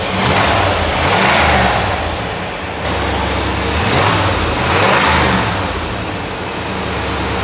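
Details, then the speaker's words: 1985 Pontiac Firebird Trans Am, crate Jegs 350 carbureted V8, after switching distributor advance to ported vacuum and tuning: deep burble swells cleanly through quick throttle blips and settles smoothly; no more black smoke, healthy. "sounds awesome already though there's no more blacks"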